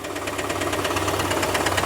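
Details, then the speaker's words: Chevrolet Camaro IROC engine idling with the belt and accessories removed: sharp rapid clacking at about eight per second persists, so the clack comes from inside the engine and is not normal. "They are not supposed to have that clack, clack, clack, clack, clack, clack, clack, clack, clack, clack, clack, clack."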